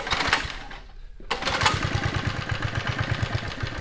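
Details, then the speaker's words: 1972 Sears Roper mini bike, Tecumseh HS50 5 hp flathead, first start after sitting, lit off with starting fluid: quick, even single-cylinder thump, steady and smooth with the choke on, no smoke; running on gas. "Dude, it's purring. That was with the choke on."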